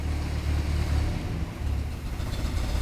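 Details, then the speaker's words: 1967 Land Rover Series 2A, started cold after sitting outdoors overnight: steady low rumble with an even beat and no knocks or rattles; smooth, normal cold idle. "there she is I don't know for that stereo one it's probably awful but yeah she runs lovely a bit cold and it's been out it's been sitting out overnight"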